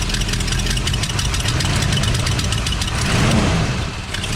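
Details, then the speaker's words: 1978 Ford F100 V8 idles roughly under a quick, sharp ticking puff from a loud exhaust manifold leak; owner unsure if poor running is from the leak or a broken part; manifold gasket may need replacing. "It just sounds awful. I mean, listen to that exhaust leak. That thing is not good."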